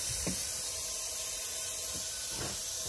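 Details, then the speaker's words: Ford 7.3 Powerstroke with terrible fuel mileage, engine off, intake pressurised with shop air for boost leak test; continuous high airy hiss, plenums leaking heavily, one boot possibly not sealing; intake plenum gasket boost leak. "So I have air going into it, and you can physically hear a lot of leaks. I'm pretty sure my plenums are shot, or possibly boots down there."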